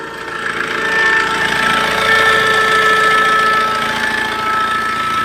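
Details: Tata Safari Storme diesel at idle: a thin, constant whistle over a fast rattle, typical of a worn turbocharger.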